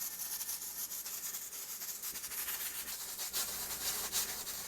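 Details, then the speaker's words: Stovetop pressure canner below 1,000 ft with a 10 psi weight, gauge slightly above 10: constant hiss with rapid rattling about three a second as the weight jiggles nonstop; pressure too high, fixed by turning down the heat. "more importantly and more accurately is the constant noise that this weight is making and the constant movement that it's making it should not be doing this constant L this is what it looks like when your caner is too high of pressure"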